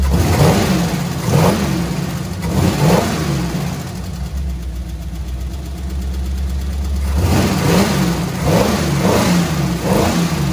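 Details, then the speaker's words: Squarebody Chevrolet C20 V8 with flat-tappet lifters, rockers readjusted: rough revving and settling to idle with irregular light valvetrain ticking; collapsed hydraulic lifters not pumping up, judged a loss, to be replaced. "up and then they'll pump up and then they won't make any noise so that's why i made it a little quieter and as i was holding it there it was getting better"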